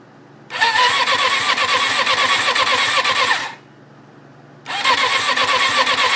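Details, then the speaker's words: 1994 Suzuki RF600 after full engine rebuild, fuel fed from a reservoir, clutch engaged: two spells of quick, even starter cranking, no catch; has spark, draws fuel, owner unsure why; cranks but won't start. "it sounds like it's not getting gas but it's clearly sucking up gas um i just don't know what exactly is going on it sparks"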